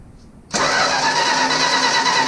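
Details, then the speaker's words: 1965 Plymouth Barracuda that sat for years, electronic ignition, after fitting a replacement control module: starter spins at a steady whirr, rotor seen turning, but the engine never fires; no spark, ground being rechecked. "it ain't gonna do nothing I got the distributor cap off I seen the rotor button just spinning all right try it now nah it ain't fine"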